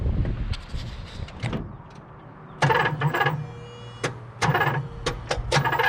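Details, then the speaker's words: 1978 Pontiac Trans Am 400 four-speed, first start in years on a squirt of gas down the carb: uneven cranking with a couple of funky cylinders, then loud pops and bursts as it coughs back through the carb. Timing over-advanced; less timing at the distributor fixed it. "all right she keeps wanting to light on fire slack off the distributor oh bully somebody wanted that locked in try that ah little less timing was definitely good for her"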